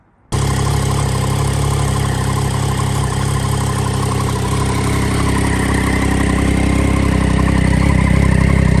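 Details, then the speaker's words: Crash-rebuilt salvage Triumph Daytona 675 fires straight back into life after a hanging part was cable-tied back into place, settling into a strong, even idle with a steady low throb and no misses; normal idle. "as you just heard, it fired straight back into life. So happy days."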